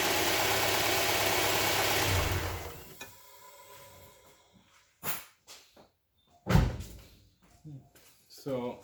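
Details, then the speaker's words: Honda Prelude 2.2L on a roughly 10-second start during an oil leak check; smooth, even firing beat for a couple of seconds, no knocks or misses, then shuts off, firing order sounds nice, normal running. "you can hear that firing order is nice, works."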